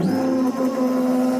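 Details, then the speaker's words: Mazda 3 derby car with a newly installed gas tank and battery, at key-on: a steady high electric whine for about 1.5 seconds as the fuel pump primes and builds pressure, then stops; normal priming. "yep we have power at the tank so let's get some fuel pressure going you hear the fuel pressure"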